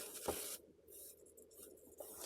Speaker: And this valve stem is leaking air. I had to air it up just to move it in and out. Not sure if you can hear that, but it's definitely leaking air. And it's actually the valve stem.